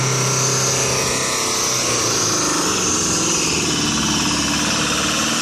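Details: Truck diesel in runaway from a blown turbo seal pumping engine oil into the intake: screaming steady very high revs with a harsh hissing roar, unburnt oil spraying from the exhaust, engine won't shut off with the key removed; it was stalled by dumping the clutch in 5th.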